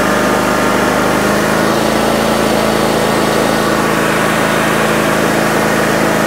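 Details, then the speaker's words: 2006 John Deere X320 riding mower after the control module (ECM) was replaced. Before, it would not stay running and the carburetor solenoid did not click. Now a loud, steady, even engine drone with no misses while given fuel. Normal running. "there guys we seem to be running fine just from changing that ecm right there"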